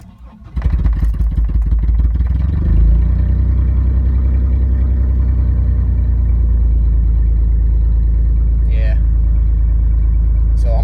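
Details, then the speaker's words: 1996 Chevy S10 Blazer being started after an oil change and with a coolant flush added. It catches and settles into a deep, loud, throbbing idle with a raw exhaust rumble. "it's gonna be loud so i'm gonna just keep an eye on it i don't think y'all wanna hear a loud exhaust and some of you'll be like yeah straight pipe"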